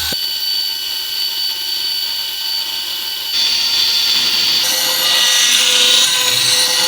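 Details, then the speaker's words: Vintage aircraft attitude-indicator gyroscope precessing and tumbling when let go: high whirring spin with rough gritty whine and rattle getting harsher; owner thinks it isn't reaching correct speed, most likely because the bearings are knackered. "I think because it's not getting up to the correct speed and you know that's most likely because of the bearings and knackers"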